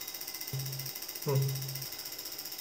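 Quick, even light ticking, roughly a dozen a second, with a few electronic tones over it: the injector is firing normally on the tester.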